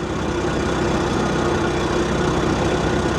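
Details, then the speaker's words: 2006/2008 Ford Mustang convertible at auction preview, idling: steady idle with faint fast chatter riding over it; unclear whether an accessory pulley or top-end chatter; shut off quickly. "could that be an accessory or is that top end oh um guys I can't tell if that's an accessory pulley or if that's that's like a top end [Music] chatter"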